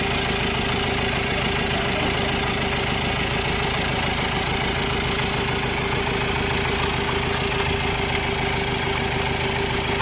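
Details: 2014 Chevrolet Tavera diesel, first start after engine overhaul: even diesel clatter at a steady idle, no misses or stray knocks, smooth settled run; engine sounds healthy.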